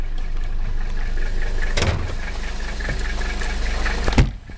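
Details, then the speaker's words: Mercedes 300SD diesel, set up with a vegetable oil system but running on diesel only, started after sitting about a week, glow plugs first; it starts easily into a steady, even diesel clatter at idle, no misses or knocks, with brief handling thumps; healthy cold idle. "let's turn her over and there she is you can see she turns on just nicely"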